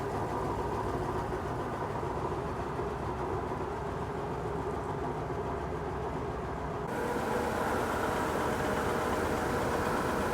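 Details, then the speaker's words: Bentley T, exhaust repaired, being prepped for restoration; smooth, even idle with light, steady clicking about three times a second from the brake pumps, engine running sweetly — normal idle. "Yeah, I'm really pleased with that. And it sounds really nice."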